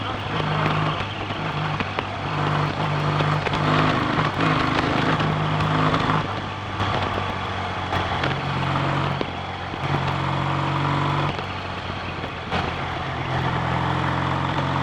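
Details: BSA A65 twin motorcycle with Pazon electronic ignition, on a hot summer day: engine runs unevenly, note stumbling and dropping out more and more until it stops; misfire blamed by owner on the failed electronic ignition.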